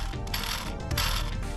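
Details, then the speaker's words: Throw-out (clutch release) bearing from 1993 Honda Civic transmission with B18B1 engine, after track laps, hand-spun on removal: rough, gritty grinding rasp; bearing absolutely cooked, badly worn. "so upon getting the transmission apart throw up bearing throw up bearing absolutely cooked"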